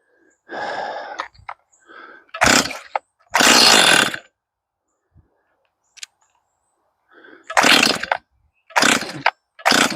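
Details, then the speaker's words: Stihl MS241 C chainsaw with computer-controlled carb, choke-only start, first fueled start with carb empty: catches and revs in short bursts, then dies between silent gaps, won't keep running; stalls after brief runs, Seafoam to be added, cause unconfirmed. "What I'm going to do is I'm going to put a little seafoam in this. See if I can get some seafoam running through this carb. It's really close. You guys heard it running."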